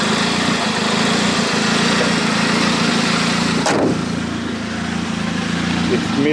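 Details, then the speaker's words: Stage 3 tuned turbo car with 875cc injectors and a missing exhaust manifold bolt causing a boost leak, idling with an uneven, stumbling beat; many misfires on throttle lift-off, triggering the check engine light. "yep we got a lot of misfires when we let off the throttle so that's most likely why we got this check engine light um you can hear the idling of the car i think i know what's wrong"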